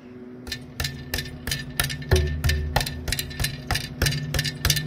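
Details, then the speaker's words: 2009 Honda Fit misfiring on all cylinders with P0420: tapping the secondary catalytic converter gives loose clattering debris from the disintegrating front cat, restricting exhaust flow. "shouldn't be any rattling sounds inside of there and that's because the front catalytic converter is coming apart inside and it's sending pieces down inside of this one"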